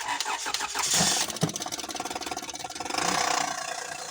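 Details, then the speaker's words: Honda Odyssey 3.5 V6 with serpentine belt and its tensioner removed: engine cranks and catches, then a fast, even metallic rattle over the idle, with vibration felt at the timing belt tensioner (belt-driven, not chain); timing belt tensioner noise. "De hecho, aquí hasta se siente la vibración donde es el tensor de la banda del tiempo, porque este lleva banda, no lleva cadena."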